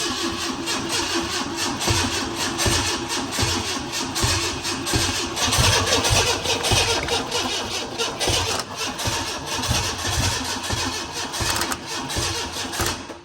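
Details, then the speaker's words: Junkyard car, very old varnished fuel, brake cleaner sprayed into the intake, jump box connected: long uneven cranking with ragged attempts to catch, never settling into idle; cranks, no start, cause not confirmed. "thing sounds like it wants to run. And I'm on brake cleaner."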